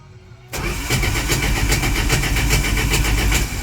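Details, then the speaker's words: 1983 Dodge D150, in neutral with two pumps of gas and a little choke: steady cranking at about 3.5 beats a second with one faint catch, then no start. Suspected spark issue. "And I got a little bit of a hit there, and that was it. Which leads me to think it's a spark issue again."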